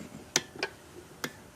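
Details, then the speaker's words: 1912 Brownwall hit-and-miss engine under restoration, flywheel turned by hand: three crisp, dry clicks in under two seconds from the governor loosening up, click-clack; normal governor click. "Mike's spinning this thing and he's starting hearing noises the hell's that noise they say governor or loosens up Mike yeah it goes click clack"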